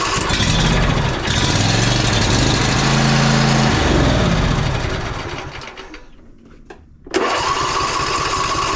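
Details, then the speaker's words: John Deere E140 riding mower engine catches and runs unevenly for a few seconds, then dies. The fuel filter shows cloudy water rather than fuel, barely dribbling: water-contaminated fuel. "just barely dribbling and that looks to be water not fuel that is about as cloudy as it can possibly get"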